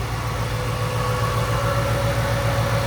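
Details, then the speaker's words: Ford GT500 V8, cold start while owner tests for suspected head gasket failure (white smoke, block test): idles steady and even, smooth regular pulse, no knocks or misses, starts right up; sounds healthy. "mean, it sounds healthy. That's the thing. It sounds healthy. It starts right up."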